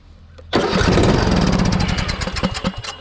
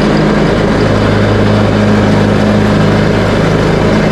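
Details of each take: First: Craftsman T130 riding mower, fuel cut-off valve just fitted: starter cranks and the engine catches with a loud burst of uneven firing that fades out, not pulling gas through the carburetor; owner suspects a bad solenoid or gummed-up carb. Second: Craftsman T130 riding mower, bought used and just repaired including a new deck engagement cable, started on choke and mowing with blades engaged at a high deck setting: steady even single-cylinder drone, no misses or knocks; running normally under load.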